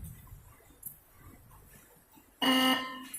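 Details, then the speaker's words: Bike electric horn being retuned by loosening its adjustment screw: after a quiet pause, one short, harsh blast with a thin, raspy buzz instead of a clean note; mistuned, screw needs more loosening. "और लूज करते हैं इसको, फिर चेक करते हैं। और थोड़ा लूज करना पड़ेगा। थोड़ा और लूज कर लेते हैं ताकि सही आवाज़ हो जाए इसका।"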